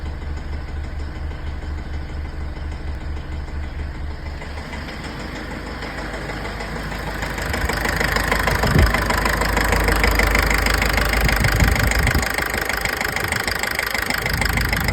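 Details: Mitsubishi L200 pickup, 4D56 diesel, at idle: rough regular knock about two beats a second over a low rumble. Blamed on injector nozzles, an unchanged fuel filter and poor fuel. Diesel knock, not confirmed.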